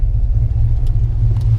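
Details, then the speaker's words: Two-owner Mustang GT Fox body V8 after transmission install, tune-up, new clutch and new heater core: a deep, steady rumble that swells evenly with revs, with no knocks or misses. It runs healthy, and the exhaust rattles slightly. "two-owner 89 GT all tuned up with a new clutch also has brand new heater core but as you can hear she is happy and healthy"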